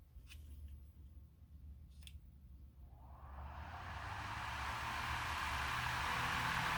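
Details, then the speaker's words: Lasko fan after balancing the blades, following failed lubrication and new parts: it winds up from quiet into a steady, even whoosh with no wobble, thump or rattle; now runs smooth and balanced. "all I can say is wow apparently this was a balance issue here goes"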